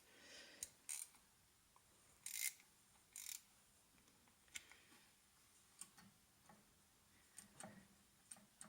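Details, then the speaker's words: Harrison milling machine gearbox on the bench, shaft turned by hand after tightening against spring pressure: sharp irregular clicks about every second as the detent snaps into its notches. "that's definitely having a detent action now so let's just give that another little nip the other way"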